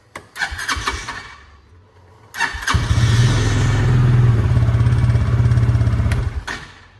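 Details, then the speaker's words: Bison SSR 400u 4WD UTV, which previously kept wanting to crank, after starter solenoid replacement; short crank catches at once into a smooth, even idle, then a clean shutdown with the key, normal start, fault was the solenoid. "turn it on that's a good sign so far and you should hear something starting there we go"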